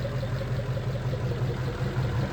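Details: 1940 Mercury flathead just started after the fuel pump was relocated, diaphragm pump spraying fuel over the engine; steady low, even idle rumble, nothing knocking or ticking; normal idle.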